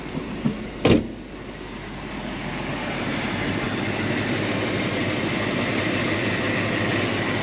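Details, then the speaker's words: 1975 Mercedes 450SL V8, little used (about 500 miles in 5 years): steady even idle with no misses, knocks or vibration, no suspect noise from the power steering. The electric fuel pump is audible. "vois moteur tourne bien vibre pas et j'entends pas le suspect au niveau de la direction assistée"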